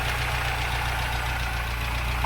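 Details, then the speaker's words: 1988 Mitsubishi Conquest TSi (G54B turbo) parts car, first start after sitting about 20 years on 20-year-old fuel, smoking heavily: rapid even knocking over a rough idle; owner suspects worn rod bearings and likely piston rings, not confirmed. "oh yeah she's knocking good huh so to me that sounds like rod bearings if I'm not mistaken so I think the rod bearings are pretty shot on this"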